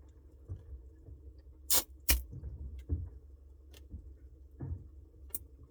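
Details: Samsung Bespoke refrigerator noise: low steady hum with scattered, irregular light ticks and sharp rattles every second or so; something loose rattling, cause unknown.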